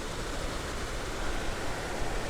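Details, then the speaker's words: RV roof-mounted AC unit running with a steady low compressor buzz under even fan rushing and no knocks or rattles; the high side is getting cold, so the compressor is working normally. "like a the compressors buzzing so that's a good sign that's the high side no it's getting cold"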